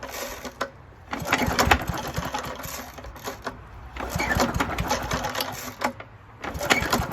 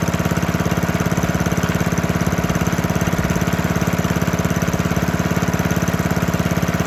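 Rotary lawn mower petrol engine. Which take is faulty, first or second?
first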